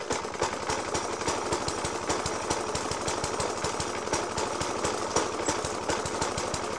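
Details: 1991-era Suffolk Punch 30S mower with Dellorto FCH 20 carb, after new spark plug, decoke and carb clean; still heavy banging at idle, hard regular bangs several a second over thin uneven idle; rough idle, cause unknown.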